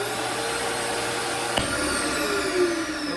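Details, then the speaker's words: Dirt Devil CV1500 CAV-VAC central vacuum newly installed in a van, switched on by lifting the inlet lid: strong steady air rush and motor hum at full suction, no rattles, dips or grinding; very powerful, normal central vacuum operation. "And you're good to go. This thing is very powerful. Very powerful."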